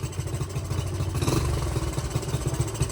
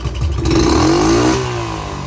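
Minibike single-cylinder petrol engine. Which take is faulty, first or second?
first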